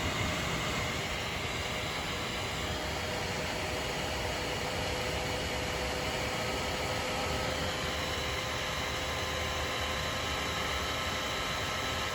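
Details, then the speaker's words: Used Dell OptiPlex desktop, recorded by phone after the CPU fan was disassembled and cleaned: a steady, loud rushing hiss with faint whining tones that never settles; CPU fan still excessively loud, cause unknown. "after that I tried again and fan noise was still happening uh I'll try to show here I'm using my iPhone to record The Fan noise not sure if it's really coming across how loud it really is take a listen"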